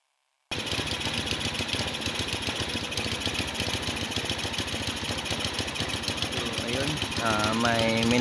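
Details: Motorstar Easy Ride 150 after auto choke fix: vent hole covered and auto choke refitted; earlier had no idle, high idle then stalling, heavy fuel use. Steady even putter at idle, then revs climb cleanly; idles and responds normally.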